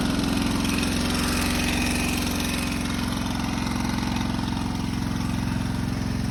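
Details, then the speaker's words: Honda 650 running after a main ground strap clean and a dead battery: steady fast idle with an even quick throb and an odd extra rattling noise, not too bad at idle; cause unknown, engine then stalled. "better it sounds like here. But still doing it. Yeah, it's not too bad in idle. Not sure what that is, but it can't be good."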